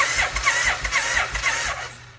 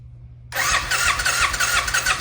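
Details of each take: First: 1990 Suzuki VX800 that sat for a long time, cranked with the spark plugs still in: even, unlaboured cranking for about two seconds with no binding; engine cranks freely and is not seized. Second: 1990 Suzuki VX800, sat a long time: two short bursts where it fires on carb cleaner spray and runs rough a few seconds then dies each time; fuel delivery fault.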